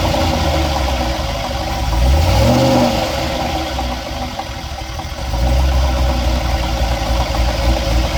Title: What's that knocking noise?